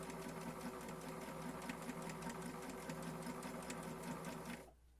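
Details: Janome 525S pedal sewing machine that hummed when starting to sew, reassembled and run set to 2; the humming was put down to dust and the needle. Quick, even mechanical chatter at a steady stitch rate with no droning hum, stopping cleanly: sewing normally.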